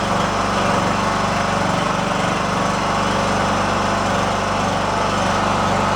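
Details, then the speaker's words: Free riding lawn tractor, previously said to shut off with a backfire after about 15 minutes at temperature. Just after start-up the small single-cylinder engine holds a steady, even putter at constant speed without surging or dying. It runs well. "let's give this guy a fire up and hopefully it does what it's supposed to"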